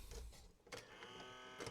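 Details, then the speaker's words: Sony CMT-MD1 micro system bought untested at auction; after a click a steady high motor whir runs with no mechanism movement, loading motor spinning free because its belt is missing. "Oh, that doesn't sound good. Whatever I've just done."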